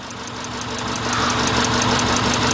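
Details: 2000 Subaru Impreza Outback 2.2 at idle: uneven, stumbling idle with faint tapping, like dropping a cylinder; rough idle misfire, burnt valve suspected, being checked with vacuum and spark tests.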